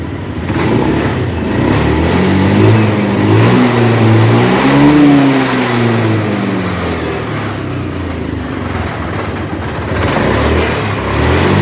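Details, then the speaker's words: Honda Beat scooter that died when throttled (TPS sensor fault code), after TPS replacement and reset: engine climbs smoothly on throttle, holds, then settles back to an even idle without stumbling or cutting out. "perhatikan di sini teman-teman di sini juga ketika kita gas dia naik ya"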